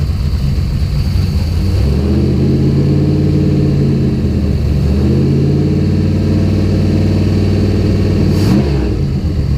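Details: The engine catches and runs with a wavering beat that hunts up and down. Spark was restored by moving the coil/distributor wiring loom. Fuel pressure was 50 after prime and over 60 during prime. It sneezes fuel and runs really rich; the cause is unconfirmed.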